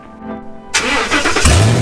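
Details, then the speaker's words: 2018 Ford F250 Super Duty 6.2 L gas, straight-piped, fresh junkyard battery: cranks and catches, then loud raw booming roar at start and idle; catalytic converters and downstream O2 sensors missing, later replaced. "We're going to fire this thing up. You guys can actually hear just how loud this sucker is."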